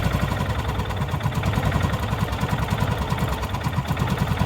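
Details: Derelict John Deere Gator after carburetor adjustment, mixture screw backed out about two turns from bottomed: steady, even low putter holding constant speed without stumbling or hunting. Smooth idle, mixture set right.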